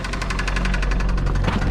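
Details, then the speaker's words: 2004 Toyota Celica GT, 185,000 miles, run with very low oil, now refilled and idling: a sharp, steady knocking about nine times a second with some valve train noise. Rod knock from oil starvation; an engine swap is suggested. "not good that's pretty much exactly how I expected it to sound maybe a little more of a rod knock and a little less valve train noise but she's definitely a tapping and somewhere right in this area"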